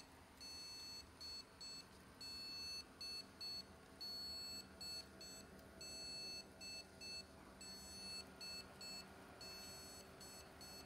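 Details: Desktop PC at startup: internal speaker repeats one long and two short beeps, with no display and no power to the rear USB keyboard and mouse; reseating the motherboard cables didn't help.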